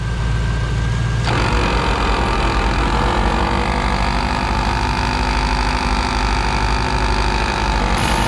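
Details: 15-year-old ARB CKMAT12 twin compressor on Jeep CJ, engine running, airing tires toward 36 psi: steady drone with coarse marble-mixer/coffee-grinder rattle from one pump that blew its fuse; faulty pump, rebuilt with kit 320303.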